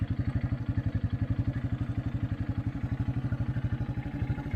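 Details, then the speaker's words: 1984 Honda Big Red 200 three-wheeler, restored after sitting about 25–30 years, with a new battery, a reworked gas tank and a carburetor. Crisp, evenly spaced single-cylinder exhaust pulses at a steady idle, no misses or knocks; running like a top. "it starts well I got my three wheeler back he's got it running like a top"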